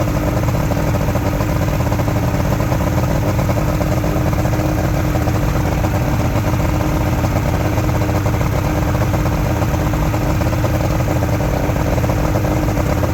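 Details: Junkyard Ebb Tide bass boat outboard, a two-stroke, run on a water hose after sitting: a steady, even low burble at idle with no misses or surging. It is idling normally and running really good.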